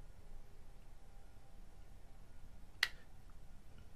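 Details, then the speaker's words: Omnipod insulin pump pod, placed on the body, fires its cannula after pressing start: a couple of clicks and a sharp pop in a quiet room; normal insertion, stung only slightly. "Press start to insert cannula. Start. And a And couple clicks and a pop."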